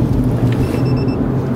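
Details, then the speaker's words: Fleet vehicle on the highway fitted with a GO5 Compact GPS unit: a quick run of short, high in-cab beeps over steady road rumble, triggered by taking a corner too heavily as a harsh cornering alert. "so all I have to do is corner too heavily it's now going to register and you're going to hear the beep beep beep in the cab telling the driver that he is pushing the vehicle around the corner too heavily"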